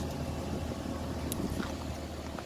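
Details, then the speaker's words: Flood-damaged Ram from auction at operating temperature idle: low, quiet, even rumble with no ticking, misfire, smoke or exhaust leaks; engine sounds healthy despite having been under water (alternator still distrusted). "it is not smoking no exhaust leaks as you can hear it's really quiet"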